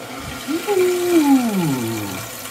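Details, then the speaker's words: Toilet tank refilling after replacing hissing fill valve with new Korky fill valve, flow adjustable; rushing water with a whistle falling in pitch as tank fills, then settling; no more hissing, repair successful. "this doodad actually can adjust the flow so it's a little bit quieter doesn't come out as crazy or you can go whole hog"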